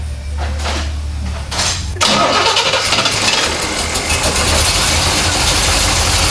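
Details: 1970 Chevrolet Corvette C3, old fuel in tank, fuel pressure around 7–8 psi: cranks about two seconds, fires and settles into steady even idle with no misses or knocks; burning smells noted; healthy start.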